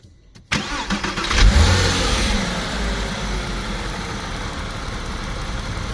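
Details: Porsche Boxster 986 flat-six after fitting a new water pump, replacing one with a failed bearing, plus a new drive belt, old thermostat retained: cranks, fires and settles into a smooth, steady idle with no whine and no overheating.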